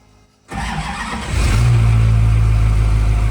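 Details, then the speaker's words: Duramax-powered drag truck on an upgraded lithium battery: starter engages and engine turns over at a steady, strong, even rhythm, about 130 rpm cranking speed; normal healthy cranking. "And on our second test, again, it looked about 130 RPM or so."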